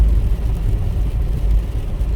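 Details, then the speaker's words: Pontiac Vibe with a replacement Toyota Corolla engine (about 90,000 miles, from a yard car), road test cruising after the swap: steady low engine drone under road rumble, no knocks or ticks; engine runs great, healthy. "but motor runs great it really does run great so these people are going to be very happy"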